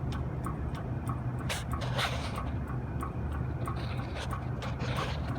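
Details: Copeland compressor after CoreSense module replaced (relay stuck open), oil drained after acid test and drier changed, testing at end of pumpdown: light regular tick about three per second over low hum; cause unknown.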